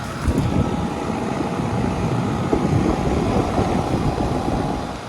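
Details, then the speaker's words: 2000 Rheem Classic Series 10 two-ton air conditioner outdoor unit, motor recently replaced, starting up: steady low hum and fan rush building evenly, no rattles or squeals; normal startup, line very cold. "This right here is a 2000 Rheem Classic 10 series air conditioner. Starting up."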